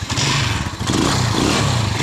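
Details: Rusi Macho 175 motorcycle push-button start: the engine catches with a harsh, uneven metallic clatter as revs rise; loud, intermittent clatter on starting, cause not yet known.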